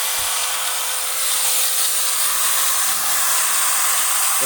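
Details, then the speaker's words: Hitachi angle grinder running after armature repair, formerly growling with sparks at the brushes; now spins steadily at high speed with a smooth, even whine, no brush sparking, back to normal. "tidak ada percikan bunga api pada brosnya mesin kembali normal suaranya halus dan bisa dikerjakan seperti biasanya"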